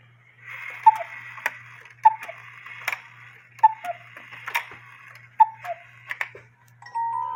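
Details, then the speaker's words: 1950s Poppo musical cuckoo clock with count wheel, after new bellows fitted: steady ticking about once a second with short tuneful notes near the end; cuckoo calls, music plays and stops normally. "but as you can see it Cuckoos music plays when the music is done it stops"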